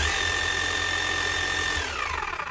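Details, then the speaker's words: 2006 Makita HM0860C 5 kg hammer-only chipping hammer after rebuild with new armature: steady high motor whine with faint gear whirr from slightly worn crank gears; runs smooth, expected to quieten as gears mesh in. "But seeing there's only a little bit of wear here on a few gears, the crank's that much bigger, it's only going to be a little bit worn. So a little bit noisy from that, but apart from that,"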